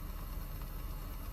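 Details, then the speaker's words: Engine idling about 10 minutes at an auction yard, temperature fine, airbag light on: soft, low, even hum with no misses, ticks or shake; extremely smooth, barely felt running, a healthy idle. "Engine is extremely smooth. Can barely feel it running."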